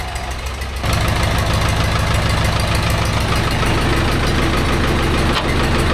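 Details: Vintage David Brown 990 diesel tractor, revived after 20+ years abandoned, clutch freed: steady even knock-free idle clatter, no misses; healthy, running sweetly, engine seems in good condition.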